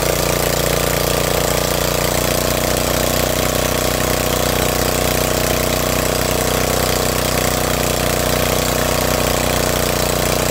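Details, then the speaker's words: Snapper riding mower that wouldn't start, running after carburetor filled, possibly not started in a while: loud, steady chugging idle with even beat, no misses or stumbles; healthy, smoke likely moisture/oil burning off muffler. "Thing is loud. It sounds great. It's running."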